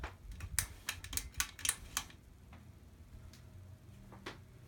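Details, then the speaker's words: 42-inch Hampton Bay Littleton ceiling fan on medium, its fastest safe speed, with one bent, wobbling blade: quiet fan with uneven dry ticks about three or four a second as the blades vibrate; fan blade vibration from bent blade. "Now you can hear the blades vibrating. And I tell you, if I run this during the summer when I'm actually going to need to start running it, that's going to get pretty annoying."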